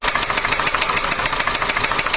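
Sharp metallic knocks, about seven a second, tap steadily over an idling petrol engine: piston slap.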